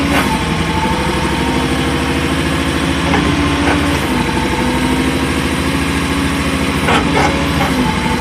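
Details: New AGT MY50R mini excavator with 11 hours: diesel idles steadily while short grinding bursts sound as the upper body starts and stops swinging in either direction.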